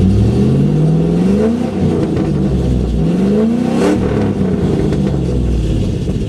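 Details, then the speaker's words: 2008 Ford Mustang GT (S197 V8), dealer reported 5 bad coils causing misfire, after installing MSD Blaster coil-on-plug set, driving: clean pull through rising revs with no stumble or miss; sounds smoother. "Alright, so the new coils are in and it's time to go for a drive. It already sounds better. Sounds smoother already, lighter."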